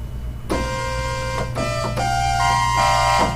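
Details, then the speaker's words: Oberheim OB-8 analog synth, one voice's oscillators in the highest octave: held notes sound sour, fuzzy and distorted, drifting further out up the scale but fine in the lowest octave; fixed by replacing voice-board capacitors, likely in the tuning sample-and-hold circuit. "i don't know if you can hear it on the camera but it does sound pretty distorted now fuzzy and it's going further out as we go up the scale"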